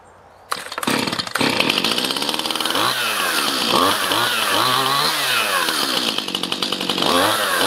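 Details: Stihl MS211 chainsaw after replacing the bogging carburetor with part #1139-120-0612, cutting wood: revs up crisply and holds a strong, even scream through the cut without bogging or stumbling; normal running under load.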